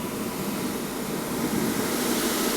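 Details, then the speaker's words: ABB demo rig with a drive, motor, fan and damper inflating a balloon; the drive outputs 50 Hz to simulate mains, with the damper fully open. A constant heavy rush of air, far too much flow; the balloon goes crazy before damper control is applied. "with the damper fully open, you can hear there's way too much air. So the balloon, crazy."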